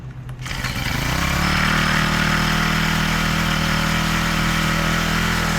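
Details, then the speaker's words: Honda FG110 mini-tiller, GX25 4-stroke engine, after carburetor replacement and hard starting: catches and settles into a smooth, even, quick patter with no misses or surging; idles well, though owner thinks idle slightly fast and needs carb adjustment. "Oh, that sounds good. It's purring. So, I had a hard time starting it, but it did start and it did idle."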